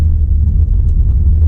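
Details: Freshly rebuilt RB25 in a Nissan Skyline R33 GTST on stock ECU, final dyno day, engine hot: deep, even low rumble with a steady beat, no knocks or ticks; earlier noise judged not from the timing setup. Normal idle.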